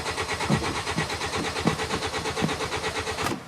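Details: 2010 Hyundai Sonata 2.4, intermittent no-start/stall, no fault codes, battery on charger: steady starter cranking with even compression pulses, tach shows RPM signal, fuel smell, but engine never catches; crank-no-start.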